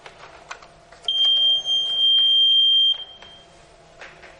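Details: Electronic voting machine control unit, two votes cast during mock poll demonstration: a single steady high beep lasting about two seconds in a quiet room, the normal tone when the total button is pressed to display votes cast.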